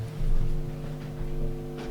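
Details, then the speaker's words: Single-coil guitar pickup through Line 6 Helix/HX Stomp with noise gate off, moved near a computer: loud steady low buzz with stacked hum tones; in-between pickup positions cut much of the hum. "with the in-between positions you get rid of a lot of that hump with a normal single coil it's still there if I go over to the computer"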